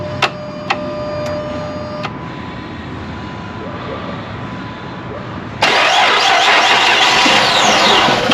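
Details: Chrysler after repair of a P0203 fuel injector circuit open code, leak-checked and buttoned up: key-on chimes and a pause, then fires at once and settles into a steady, even idle with no misses.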